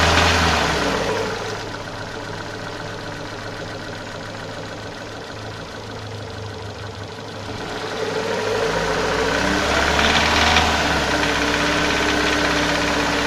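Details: Renault Scenic 2/Megane 2 K4M petrol engine, cam phaser and its solenoid locked closed: at steady throttle around 2000-2500 rpm a rapid regular metallic knock like pinging pins; disappears when the pedal is released or pressed; gone on flush oil, returned with 5W40.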